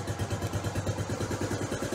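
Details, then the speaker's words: Honda Trail 90 (CT), after carburetor idle tuning, restarted after several kicks, no choke: even putter around nine pulses a second, no stumbles; revs pick up cleanly, mixture set right. "but the point is is listen to it idle now like now there's no choke on and if you rev it when you rev it it should just pick up without stumbling right"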